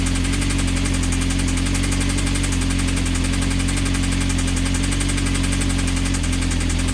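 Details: Honda CBR engine running steadily with heavy, fast, even knocking locked to engine speed, deep and loud; a suspected failing bottom end, not confirmed. Advised to stop running it and check the connecting rods for play on the crank.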